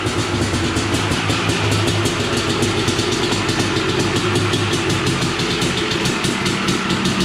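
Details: Honda TRX 250R two-stroke quad just finished after a build, with an expansion chamber fitted, idling in the garage; crisp even ring-ding burble, no misses or knocks; normal two-stroke idle.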